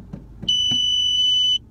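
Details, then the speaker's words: 2013 Ford Fiesta Titanium 1.6 with 6-speed Powershift automatic, 29,000 km: after short clicks on shifting into R, the parking sensor gives a steady high-pitched beep for about a second, the normal reverse warning. "bayağı bir ötüyor duruyor. R'ye aldık."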